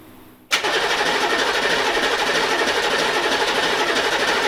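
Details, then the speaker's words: Newly swapped HMMWV (Humvee) diesel, first start attempt after installing cooling stack and radiator: catches suddenly, holds a harsh, fast, high-revving roar that never drops to idle. Runaway; throttle found wide open. "So, it's trying to run away on you. Um, don't try to start it again."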